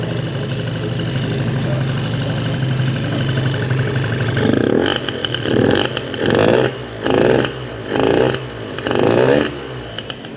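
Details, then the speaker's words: Ludix 50cc scooter with Athena racing kit, 24 PWK carburettor, free intake, oil pump blocked, cold new engine: buzzy two-stroke idle with short throttle blips, each dropping back cleanly to a steady idle; idle settles normally. "bon voilà le ralentir descend bien il se cale bien"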